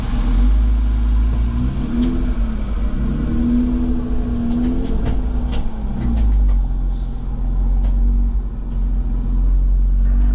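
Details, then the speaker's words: Jeep with front and rear lockers, off-road in the Victorian High Country: a heavy low rumble and grinding drone under slow driving, rising and falling with speed; driveline fault, suspected rear diff, possibly a snapped rear pinion. "It 100% sounds like it's in the rear diff. Reuben Rev has done. I'm tipping a rear diff, possibly a pinion."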